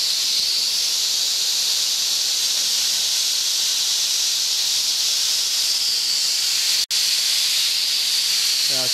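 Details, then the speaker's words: Boiler safety valve on steam, still being adjusted, popped off at 120, now at 80: loud continuous high-pitched steam roar, steady with one brief cut; valve lifted and venting. "popping off now I got to I'm still adjusting it now I popped off 120 now it's 80 so that's way off but we'll get it"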